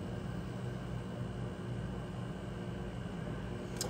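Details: Rheem generation five hybrid heat pump water heater: steady low compressor hum with even fan rush, no knocks or rattles; running normally, capacitor tested at 315 and good, current sensor good.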